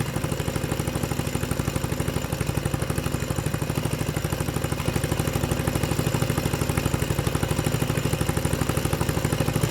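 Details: 6.5hp generator engine converted for a go-kart with the Honda GX120 carb and exhaust and a clutch fitted: crisp, evenly spaced single-cylinder popping at a steady idle, with no misses or rattle. Normal idle.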